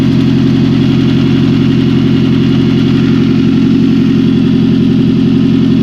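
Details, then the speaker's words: 1999 Toyota Celica GT, 2.2L, 5-speed manual, FWD, 135,424 miles, new cylinder head, just started: steady idle with a sharp, rapid puffing tick on every firing pulse, loud and raspy; exhaust manifold not bolted on all the way, leaking exhaust. "Got one heck of an exhaust leak, but just got it running here. Oh, well, that would probably be why. The exhaust manifold's not even bolted on all the way."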